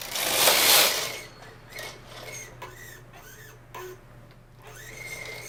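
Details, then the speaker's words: Vintage Brother 950e standard-gauge knitting machine just after sponge bar replacement: short rising squeaks on each carriage pass over a soft mechanical clatter. The sinker plate is rubbing the gate pegs. "I don't know if you can hear that, but the carriage is squeaking a little bit, and that's not supposed to do that."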